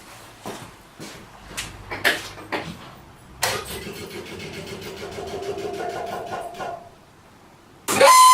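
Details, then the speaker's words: 1968 MGC heater blower motor switched on in winter: a steady, rough squeal for a few seconds that then dies away, from dry brass motor bushings; fixed by lubricating them without disassembly. "it seems like the bearings or something's rubbing inside the motor that's causing it to squeal"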